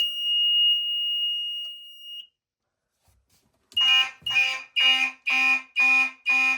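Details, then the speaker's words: Fire alarm panel with timing relay set to 0.5 s on and 0.25 s open-relay time: steady high alarm tone stops, then returns as sharp even pulses about twice a second, proper march-time pattern. "And if we go up, we're going to the open relay now, and we set this down to 0.25 since that is march time. As you can see, now it sounds like march time."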